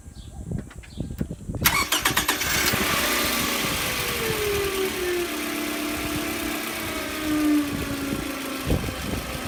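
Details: 2009 Toyota Camry LE 2.4L four-cylinder, before alternator replacement: engine cranks and catches, then a thin whine sinks in pitch as the idle settles, the sound of a bad alternator.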